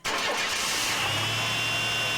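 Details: Chevy 4.3 Vortec V6 truck, started after correcting spark plug wires that had been swapped and running rough: engine catches almost instantly and settles into a smooth, even idle with no misfire or stumble; starts and runs properly.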